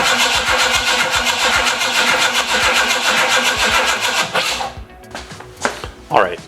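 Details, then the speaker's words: 1968 Mustang with MSD distributor just installed after setting top dead center: steady starter cranking about two and a half turns per second for four seconds, never catching; cranks, no start, ignition problem unresolved. "start it cranks over fine I checked nothing's contacting anywhere"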